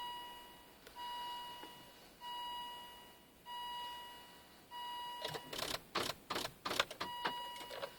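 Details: 2000 Volvo V70 2.5 TDI won't start: steady warning chimes, then a quick burst of rapid sharp clicks when the key is turned, with no cranking, dash lights flashing.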